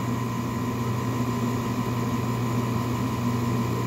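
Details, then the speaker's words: Mercedes E320 CDI engine with high aluminum and iron in oil analysis: constant droning hum with a steady whirring tone at the front of the engine; the timing-chain-driven fuel pump sprocket wobbles because its retaining bolt worked loose. "the hell that entire time this noise that I've been hearing is that gear that's driven by the timing chain that drives the fuel pump that gear has been wobbling up and down and back and forth and side to side"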